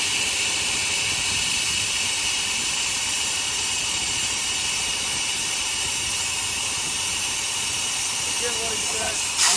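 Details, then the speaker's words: Heavy truck air brake test at about 90 psi: constant loud high-pitched hiss of escaping air at a worn glad hand; primary air gauge keeps dropping while the brake is held, down to the low air warning, an out-of-service air brake leak. "If you're in the truck and that you hit the brakes, that gauge just keeps dropping until you let off the brake. You got a severe issue, whether you can hear it or not."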